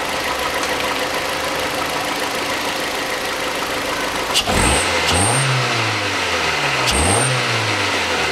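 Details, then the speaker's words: 2006 Hyundai Accent 1.5 (TagAZ) that had misfired, knocked and lacked power, now with a new coil and camshaft sensor: a steady idle, then two throttle blips that rise and fall cleanly. There is no stumble or backfire, and the engine runs evenly. "нет никаких не провалах него perdido ты не стреляет в глушитель работает ровно"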